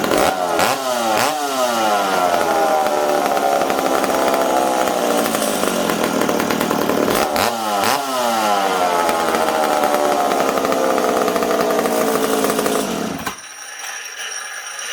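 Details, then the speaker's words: McCulloch Super Pro 70 chainsaw whose intake was glued when cold. Revs climb and hang high, wavering before sagging back, pointing to a slight intake air leak; the owner plans to tear down the intake. "i'd let you guys hear that this thing's got a little bit of an air leak it's not a terrible one"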